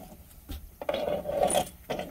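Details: 2005 or 2006 Chevrolet Silverado front hub bearing turned slowly by hand gives a dry, rasping grind; owner thought the brakes were grinding, but the hub bearing is seized and worn with visible play.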